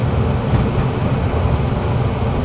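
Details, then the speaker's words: Gas-fired furnace after the inducer motor, pressure switch click, glowing igniter and gas valve click: steady, even low roar with no surging, fluttering or popping; burners firing normally, flame sensor signal about three microamps. "Gas valve is going to open. Hear that click. There she goes."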